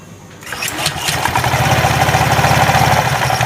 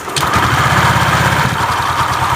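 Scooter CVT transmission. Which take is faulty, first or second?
first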